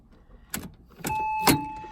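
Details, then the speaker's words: Porsche Boxster S (986) fitted with a newly installed 3.2-liter engine: key turned gives a few switch clicks and a steady dash chime but the starter never turns; no-crank no-start, clutch switch and fuses checked good, immobilizer under the seat suspected faulty. "But when we went to start it, this is what the hell happened. Nada. Nothing. Nothing happens."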